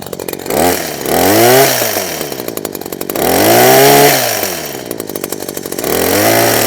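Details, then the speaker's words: Husqvarna 123HD60 two-stroke hedge trimmer after new carburetor diaphragm and carb clean, started on half choke: revs up and falls back in even surges every two to three seconds, keeps running without stalling; now running properly. "Half choke. That's already starting better already."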